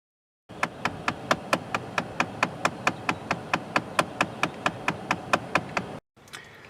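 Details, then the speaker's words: 2012 Chrysler 200 dash: rapid, even clicking, a few taps a second, from a failing blend door actuator (one of three); actuator replaced. "and if you ever heard the clicking noise in the dash and a lot of times your venting isn't working properly, it is likely one of your three blend door actuators."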